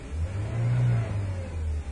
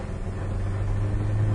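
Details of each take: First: 1997 Ford Ranger 4-cylinder with long crank time, no power and stalling, running cold: low engine note surges then sags, won't hold idle without throttle, backfires; suspected bad fuel pump or vacuum leak, not confirmed. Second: 1997 Ford Ranger 4-cylinder, on the road once warm after power steering fluid top-up: engine note climbs evenly and strongly under full throttle, no stumbles or popping; healthy acceleration, hard start and rough idle only when first started.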